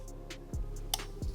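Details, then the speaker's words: Crisp, distinct relay clicks, a couple in under two seconds, over soft background music as an electric-finger tester cycles a 4-pin automotive relay. Blinking green shows the relay works normally. "When you hear the clicking sound, it means it's testing."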